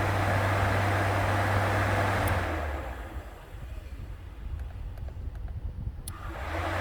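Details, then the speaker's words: Car electric cooling fans running normally at quiet idle after replacing a fan relay that clicked but didn't work: steady airy whoosh easing down partway. "so there you go the fans are working so my whole point to this is just because a relay's clicking doesn't mean it's working"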